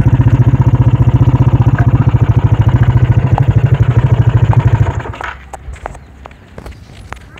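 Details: Motorcycle with a weak battery, unable to electric-start or kick-start, started by pulling a roughly 3 m rope around the fan; regular, strong exhaust pulses for about five seconds, then it is shut off; runs normally.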